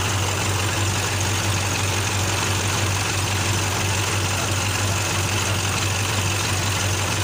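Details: KAMAZ truck diesel with turbocharger idling after repair: low, even rumble with steady hum, no knocks, ticks or surging; normal idle.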